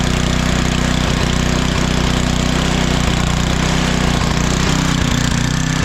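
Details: Craftsman 9 hp 26-inch estate-sale snowblower after oil change and new spark plug, carburetor float bowl found clean; loud steady single-cylinder thrum at constant speed, no misses or knocking; normal running.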